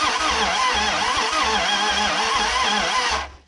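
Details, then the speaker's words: Abandoned 1968 Dodge Charger, unrun for almost 30 years, with the starter just swapped and running on brake cleaner: cranking gives a brief, uneven, sputtering run with loud exhaust pulses, then it dies. Timing suspected slightly off. Hard start, catching briefly. "oh yeah it just hit yes come on baby"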